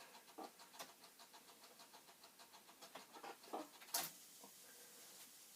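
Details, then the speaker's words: Commodore 64 5.25-inch floppy drive still trying to load an old disk, drive light not on: quiet uneven ticking around 146 a minute with odd louder clacks, repeated seeking without loading; cause suspected, not confirmed. "Wow, it is really trying hard. But the light, see, this light is not coming on. But it is trying."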